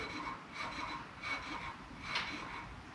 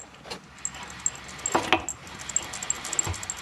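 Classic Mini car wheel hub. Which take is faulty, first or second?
second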